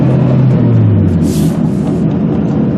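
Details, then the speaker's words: 1995 Honda Civic, heard while driving: a low steady hum under road noise that is absent when stopped and grows progressively louder as speed increases; worn front wheel bearing. "You might hear that noise coming up. It will get progressively louder as my speed increases."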